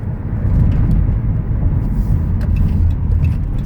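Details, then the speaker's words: 2013 Dodge Grand Caravan SE wheelchair van, 166k miles, braking hard on road; steady tyre and road rumble with no squeal, scrape or grinding: normal braking. "grinding no squeaking no unusual noises fan runs and drives very nice"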